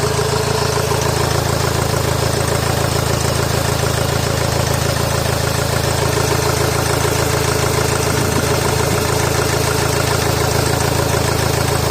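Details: Honda Accord VII 2.2 i-CTDi diesel running badly after turbo failure: uneven idle with a lumpy pulse of about two beats a second under the clatter. Injector 4 connector unplugged, oil smoke from the disconnected pipe.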